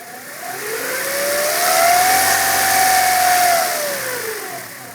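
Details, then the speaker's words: 1994 Integra GSR with B18C1, revved after a timing belt replacement 10–15k miles earlier: clear whine rising and falling with revs. The timing belt tension was off; fixed by tensioning the belt properly. "it's been making this whining sound now I don't know if it's my timing belt is too tight or something else"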